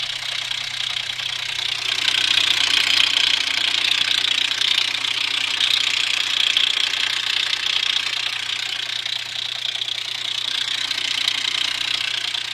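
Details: Infiniti FX35 VQ35 engine: steady fast ticking knock, about three per second, over idle; timing chain tensioner had unscrewed (bolts too short), breaking chain shoe and guide; fixed by replacing chain, shoe, guide, seal, bolts.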